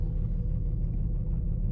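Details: 2006 Infiniti M35, 174,000 miles, code P0300: deep, uneven loping idle with shaking, worse with lights on; mass airflow sensor replaced; owner suspects ignition coils, not confirmed.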